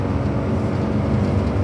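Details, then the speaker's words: Suzuki Jimny JA22 road test at 120 km/h after replacing bad rear wheel bearings. Even tire roar, glass rattle and wind noise, no growl or rising hum; bearings now sound normal. "I don't hear anything. I mean, glass rattling, you know, Jimny wind noises. We're at 120 kilometers an hour. I don't hear anything out of the ordinary."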